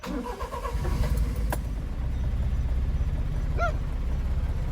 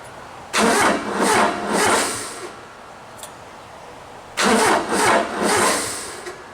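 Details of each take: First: Honda Acty mini truck after fitting a Noco 500CCA lithium battery, new terminals and main fuse, restarted after running: brief crank catches almost at once into a steady, even idle; quick normal start, stall-restart theory next. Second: Honda Acty mini truck with excessive crank issue, fuel ruled out (starter fluid made no difference): two long bursts of steady cranking with no catch, third crank fires into an even idle; owner later changes battery, terminals and main fuse.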